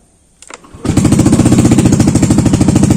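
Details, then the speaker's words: Yamaha Aerox (old) scooter after wiring repair, yellow MIL that stayed on now off: brief starter whir, then steady even pulsing idle with no misses or knocks; normal. "Normal ya, indikatornya mati."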